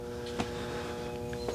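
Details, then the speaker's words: Red Oak TX split-capacitor condenser, compressor and fan on separate capacitors, mic held close: steady low compressor hum with no fan whoosh; contactor LED normal but condenser fan not running due to bad 15 µF fan capacitor. "The LED on the contactor shows you that everything is normal with it, that it should be running, but it's not. You hear no fan, just humming."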